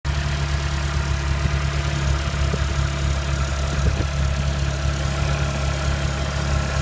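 Cold idle with a low steady drone and faint irregular ticking riding over it; an odd cold-engine noise whose cause isn't clear.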